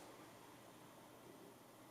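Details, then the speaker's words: Camera microphone test with the Boya mic unplugged and the camera on an external power supply: only a steady faint hiss in the audio, and its source is unclear. "i'm not i'm so sure if there's gonna be any difference with hiss in the background i'll be quiet now"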